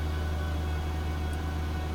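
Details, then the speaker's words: Volvo V70 six-cylinder petrol idling rough after restart following a coolant pipe leak, with steam from the exhaust; deep hum and uneven low throb, vibration felt through the wheel, cylinders not firing properly. Possible cylinder misfire suspected, not confirmed. "it is vibrated a bit you can probably see that on the camera image the cylinders is not working properly this is a six cylinder engine so it's normally quite smooth you can hear something humming away there"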